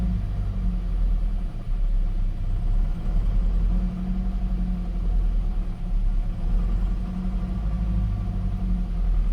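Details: Gen 7 Toyota Celica at its first start after a fuel pump and filter replacement, still priming fuel and relearning fuel trims: a low, uneven rumble with a slowly wavering beat that does not settle to a steady idle. Cause not pinned down.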